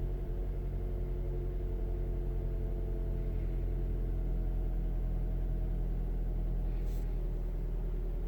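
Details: 2009 Mazda 3 petrol engine with check engine light code P0123 idles with a low, irregular pulsing rumble, a rough idle; spark plugs, ignition coils, MAF sensor and purge valve checked without finding the cause.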